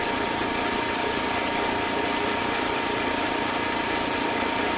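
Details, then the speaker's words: Eastwood Elite QST 30/60 scroll air compressor after replacing the failed pressure switch: smooth steady airy whir while pumping toward the 145 psi cutoff, around 140 psi; it shuts off correctly, running normally. "We're right at about 140. Should be shutting off any second if it's working right. And it works."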